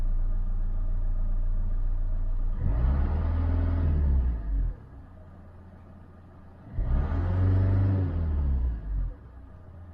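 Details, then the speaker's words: 2012 Vauxhall/Opel Insignia 2.0 CDTI diesel after repair: steady low idle and three clean revs, buzzing gone after replacing turbo wastegate actuator vacuum hose. "Nice and quiet. Quick, easy and cheap fix, and the main thing is the buzzing annoying noise is gone."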